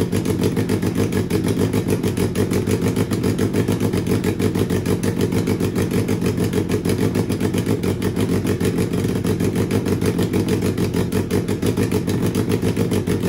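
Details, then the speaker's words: Turbo Suzuki Hayabusa engine with Power Commander/AutoTune, first start: lumpy uneven idle with irregular pulses around three a second, no steady beat; running rough and super rich. "I know first start engine is running rough and super rich"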